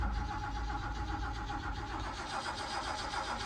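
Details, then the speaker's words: 1982 Holden WB panelvan, engine reportedly rebuilt recently, not in gear, fuel not yet supplied to the carburetor: starter cranks at a steady, even beat with no weak strokes, indicating good, even compression. "Sounds pretty good. Sounds like it's got some good compression."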